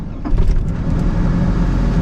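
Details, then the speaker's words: 2003 GMC Sierra regular cab short bed, no-start traced to battery: starts immediately, settling into a quiet, low, steady even idle with no misses or stumbles; normal healthy idle. "I don't even know if y'all can hear that. It's so quiet. But it fires up immediately now."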